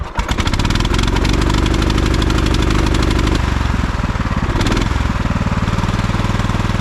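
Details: 1989 Craftsman mower engine started cold on choke after repairs: it catches and runs, then sags and stumbles each time the throttle is raised, nearly stalling before recovering. Owner thinks a little tuning will fix the hesitation; not confirmed.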